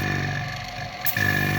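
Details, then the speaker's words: Refrigeration/AC vacuum pump running: steady drone with fixed tone, briefly dips about a second in, then returns fuller as the valve is opened and it starts drawing gas or moisture; normal operation. "So ನಾವು ಈ wall open ಮಾಡಿದರೆ ಏನಾಗುತ್ತೆ ಅಂತ ಹೇಳಿದರೆ, ನಮ್ಮ ಈಗ sound change ಆಯಿತು ನೋಡಿ. ಈಗ ಸಿಸ್ಟಮ್ ಒಳ್ಳಿರುವ ಗ್ಯಾಸನ್ನು ಅಥವಾ ಮಾಯ್ಶ್ಚರನ್ನು ಎಳಿಲಿಕ್ಕೆ ಸ್ಟಾರ್ಟ್ ಮಾಡೋದು."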